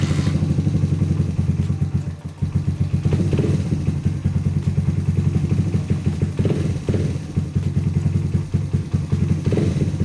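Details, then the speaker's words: Rebuilt Honda XR80 single-cylinder dirt bike, first start after refilling with Shell Rotella T4 15W-40 oil, fired on second kick, cam chain tensioner not yet set: steady, even idle thump, crisp firing, no knocks or clatter; normal running. "So she fired up second kick, which I wasn't really expecting. Seems to run pretty good, but before I get too carried away, I need to set the cam chain tensioner."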